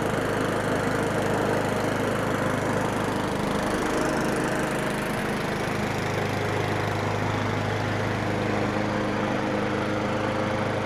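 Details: Craftsman 917.388834 push mower, Briggs & Stratton Classic flathead, with the aftermarket Amazon carb scrapped and oil clean: runs really good with a steady, even drone at constant speed, no surging, misfires or knocks.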